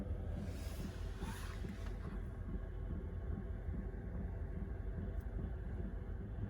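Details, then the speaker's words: Chinese diesel heater in a van, 40°F, after an apparent fix of on/off cycling and error: steady low rumble of burner and blower, even, no misfire pulses, warm heat and no error, normal running. "And at this point, I would have already had would have gotten an error. So I think I did fix the problem."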